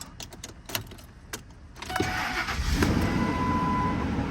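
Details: 1997-2003 10th-gen Ford F150 project; keys rattle, short crank, catches straight away and settles into a steady, even idle, healthy start.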